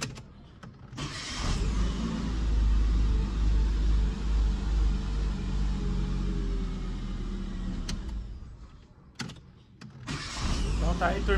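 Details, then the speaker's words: Citroën C3 after starter motor repair for noise when starting: starter spins up cleanly and the engine catches into a steady even hum with no grinding or slipping whir; starting normally. "e vocês vão ver juntos partidinha certinho funcionando direitinho"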